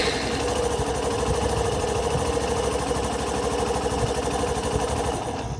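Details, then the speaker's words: Hero Passion Pro 125cc single-cylinder motorcycle with i3s idle-stop switched on: idle putters steadily for a few seconds, then the engine shuts off automatically as designed; normal idle-stop shutdown, not a fault. "आपको 8 दिखाई देंगे कुछ second बाद स्वचालित shutdown यह हो चुका है। इसे रुकते हुए देखें।"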